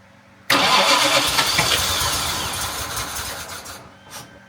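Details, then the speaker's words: Jaguar MKII engine run after reassembly and water pump work: it catches after a short crank, then runs unevenly with a wavering note before dying, needing tickling. Charging reads only 11.9 V, and a faulty alternator is suspected. "it's a little shaky I had to tickle it as you heard"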